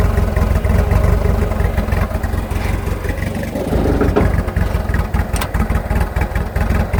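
Petrol idle that stumbles and surges unevenly, with the beat wandering and dipping; a rough idle, no clear cause.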